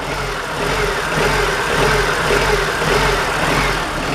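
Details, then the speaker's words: Honda Civic, hot engine after warm-up: the idle surges up and down in slow waves, and switching the lights on or off changes it. The likely cause is a sticking or faulty IACV (code P0505); it idled fine when cold. "as you notice is starting to jump right now okay see how it jumps and you can hear the difference between the engine"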